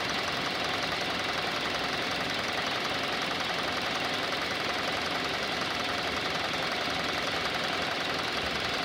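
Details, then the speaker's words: 2019 Hyundai Elantra inline four-cylinder petrol with 7,000 miles, started and idling: quick, fairly regular diesel-like ticking over the engine note, quieting down a little as it runs. "You can hear that ticking. Looks like a diesel noise."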